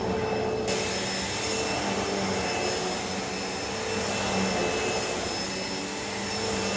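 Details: Hoover Elite Rewind upright vacuum test run just after fitting new belt (style 7910): steady, even roar of motor and brush roll with no slap, squeal or grinding; running healthy.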